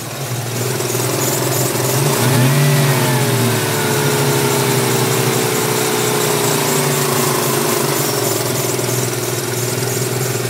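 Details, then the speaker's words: 1994 Mustang with intake, cam and exhaust, BBK throttle body: a clear whine over the idle that rises in pitch with revs, recorded at the front accessories; owner suspects the small pump, with a squeak possibly from the tensioner pulley. "i feel like the noise is coming from down here i think it's the small pump i'm not sure but basically the noise is like a worm it sounds really"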